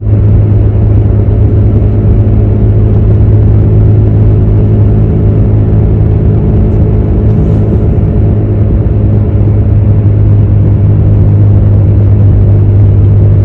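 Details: Steady low drone from under the car at road speed, even and constant with no clicks or grinding; humming attributed to a bad wheel hub bearing.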